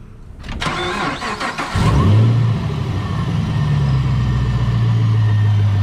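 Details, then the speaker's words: Supercharged 2015 Chevy Camaro ZL1, first start after an engine flush and switch from Royal Purple to Amsoil oil: short crank, quick catch with rev flare, then smooth steady low idle with no ticks or knocks; normal cold start and idle. "sounds nice we're doing it"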